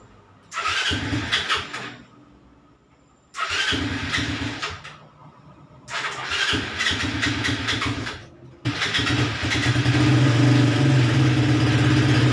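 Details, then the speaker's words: Raider 150 motorcycle after valve clearance adjustment and head refresh for hard starting: three short cranking bursts, catches on the fourth and settles into an even, steady idle; cold start no longer hard, running fine. "so Ayun umandar na siya So Col start so hindi naman gaano ka hard starting Okay na siya"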